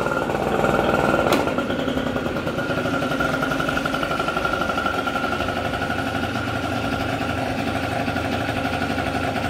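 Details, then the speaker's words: MBK Nitro two-stroke scooter (Doppler 50 cast kit, Doppler S3R exhaust, 21 PHBG Dell'Orto carb, Doppler ER1 variator) kick-started with choke after about 30 seconds: buzzy quick steady idle with high exhaust tone; normal start and idle. "ça démarre ça démarre sévère"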